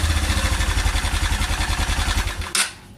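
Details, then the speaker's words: Honda Cargo CG150 motorcycle, rebuilt a month earlier (cylinder, piston, camshaft, valves, timing chain), briefly warmed idle: sharp rapid knocking about 3.5 per second, like a bad timing chain or guides. Cause was a loose bolt letting the camshaft timing disc run crooked. "Vean, gente, miren qué es lo que encontramos aquí. Se aflojó este tornillo del disco que sostiene el disco del árbol de levas."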